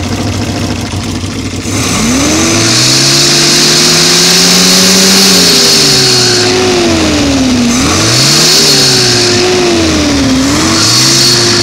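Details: 1970 Opel GT, engine installed 2000 with 2700 miles, recently new 7-blade fan, aluminium radiator, rebuilt 28 A alternator, upgraded water pump; revving gives loud roar at 2500–3000 rpm, screech from 3500 rpm, whirring on deceleration; cause unknown.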